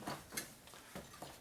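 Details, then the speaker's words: Kwik-Way cylinder boring machine used on a 1978 Shovelhead: sparse light ticks and clacks at uneven intervals as a worn drive key shuttles back and forth in the pulley; first suspected loose set screw; worn drive key clatter. "so that's a drive key on here that's what the keys just running back and forth probably loose in the woods when it was new but this thing's a long way from being new"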